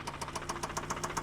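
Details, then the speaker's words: Dubai auction car's engine cranked and running, heard in the engine bay, with sharp regular knocks about seven per second over a quiet idle and possibly smoking. The bottom end was later found destroyed with missing oil, damaged main bearings and crankshaft. "The cranking noise means that the engine is completely destroyed. The crankshaft and the main bearings, and looks like it's smoking."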